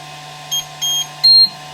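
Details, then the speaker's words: Flashforge Dreamer 3D printer switched on for the first time: steady low fan hum with three high beeps, the last longest, a normal startup sequence. "you get three beeps and there must be L lights up here oh look at that so that's pretty cool"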